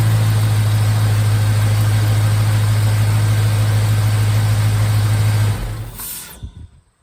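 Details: 1951 Hudson with a swapped LS 5.3 V8 on its first start on an eBay harness, VATS off in the PCM: a steady, even idle with a smooth low thrum at about 200 pulses a minute, no misses or knocks, alternator charging at 14.3 V. Normal idle.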